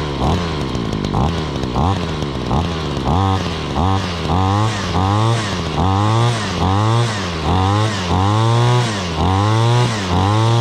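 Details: 2013 Ryobi SS26/RY28140 trimmer, 26cc two-stroke, after cold start: steady idle with quick throttle blips about once a second, each rising and falling cleanly; normal running.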